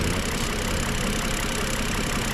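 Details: BMW engine, not fully warmed up, at idle and light revving: steady metallic knocking over the engine hum, source not yet found. A rattling cover is also suspected as a source; not confirmed.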